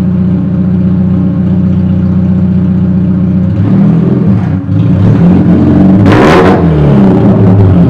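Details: Chevrolet Cobalt SS/SC whose exhaust came loose, effectively straight pipe; smooth idle, then throttle blips bring a raw, open rasp that swells with revs, an exhaust leak.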